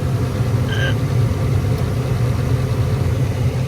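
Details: Attic gas furnace that had only one burner lighting, with flame running back to the spud, after repair; gas pressure, found slightly low, being turned up toward the 3.5 spec. An even, steady low roar with no popping or flutter; burners firing cleanly.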